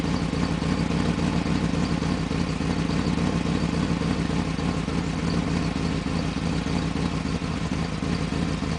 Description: rebuilt the top end of th engine, and it was running rough due to a vacuum leak.